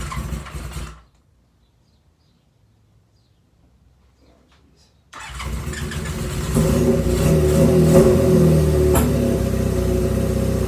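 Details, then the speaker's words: Honda CB550 cafe racer, freshly cleaned carburetors and air pod filters: engine fires and settles to a lumpy idle, stepping up unevenly when opened; rough idle and jerky idle-to-midrange transition, which the owner blames on the pod filters. "So your transitions between idle and mid-range will be very jerky, and it may not idle very good at all. Like I've got it kind of idling here."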